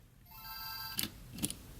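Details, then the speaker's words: Game Boy Advance bought from eBay as junk with a 'faulty' power switch, batteries in; sliding the switch turns it straight on with a bright, clean two-note startup chime, though the speaker may not sound great; powers up normally. "the batteries in and if I slide it over it comes straight on you can hear it up"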